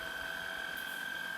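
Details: Shark Rocket stick vacuum after fixing suction problem, final tissue suction test, not at max power; steady high even motor whine with constant airflow hiss, no surging or rattle. Normal suction.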